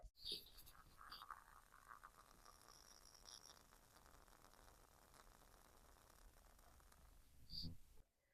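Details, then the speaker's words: Used Stihl MS261 chainsaw on the workbench under vacuum test (half a bar): faint steady hiss of air drawn past a leaking clutch-side crankshaft seal; the leak likely worsens when running and explains earlier carb tampering. "So sitting here in the workbench, it's a small leak, but when this thing is running, it's probably leaking quite a lot worse than that. And that's why they were tampering with the carb and replacing parts, because this thing was sucking air through the crank seal."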